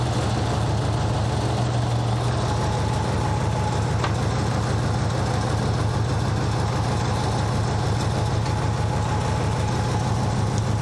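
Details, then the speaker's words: Nissan 200SX engine idling: rough, gritty grinding under the low drone with a faint thin whine from the alternator area. Cause suspected, not confirmed. "definitely sounds bad. It's making all sorts of ruckus down there. I can hear it like grinding basically."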